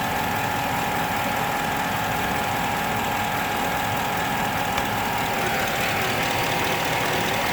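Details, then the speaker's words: 2007 Chevy Avalanche, 5.3L Vortec V8 with AFM, 124k miles, warm idle at normal operating temp in 30°F weather: a light, fast ticking over a steady hum, seemingly from the right bank. No codes or misfires, oil pressure at least 40; cause unknown. "his down definitely does diminish it sounds like it's coming more from the right side of the motor"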